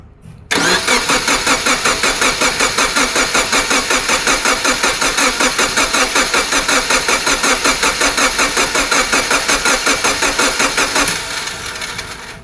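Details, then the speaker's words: 2007 Subaru Forester SG 2.5 L turbo, cranks but won't start: steady buzzing crank at two to three pulses a second for about ten seconds, never catching; diagnosed as a bad starter clutch, starter about to fail. "Now, this starter has a problem. Listen to this. Yeah, that buzzing sound. Free diagnosis for you, my guy. You have a bad starter clutch. That starter is about to go out."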